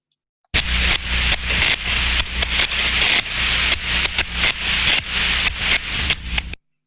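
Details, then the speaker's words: Thermodynamic disc steam trap heard via ultrasound: hissing rush with rapid, uneven cut-outs; disc no longer seats against the body, constantly opening and closing (chattering), losing efficiency and risking disc damage. "we can hear that just it's fitting its in fits and spurs it's constantly opening and closing constantly opening closing because it cannot make that perfect seal"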